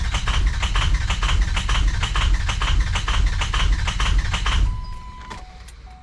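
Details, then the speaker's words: 2003 Ford F350 6.0 PowerStroke diesel run out of fuel, refilled, key bumped to prime: long even cranking about two compression beats a second, hitting on a cylinder or two without starting; fuel rail completely empty. "It's the it's hitting on a cylinder or two, just getting some fuel back up to it. Fuel rail's completely empty."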